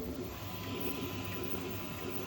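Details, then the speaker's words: Creality K1 Max 3D printer: rough clatter and low banging thumps each time the Z axis moves up or down, such as during Z-hop. It starts small and gets worse through the print. "every time that c axis moves up or down for like doing the SE hop or whatever it's only on a small so right the start but does it the whole way and just gets worse and worse"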